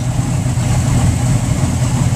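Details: Mercury inboard boat engine idling at the dock, 2 minutes run time and still a little cold; scanner shows no codes, no knock, fuel flow good: steady even low rumble, no misses or surges; healthy.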